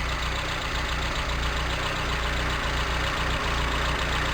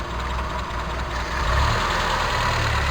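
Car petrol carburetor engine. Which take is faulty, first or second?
second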